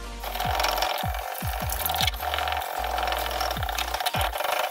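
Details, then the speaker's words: Hand wet sanding yellowed, matte polycarbonate BMW E53/E39 headlight lens with a ColorMatic kit, stepping from 800 to 2000 grit: rhythmic scraping strokes about two per second with soft fine hiss, grinding sound changes as sanding progresses; not yet finished. "Je vais vous montrer cela acoustiquement , et cela change dans le bruit de grincement, comme c'est le cas maintenant lorsque vous passez de 800 à 2000."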